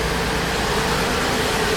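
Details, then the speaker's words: Car with no oil change in four years, run on a flush of leftover fluids: steady but lumpy, uneven droning rough idle slowly settling; lifters suspected to be starting to work, cause unconfirmed. "It's slowly settling down a little bit. It keeps coming back with a little bit of unevenness. I'm wondering whether or not the lifters are starting to try and do their thing."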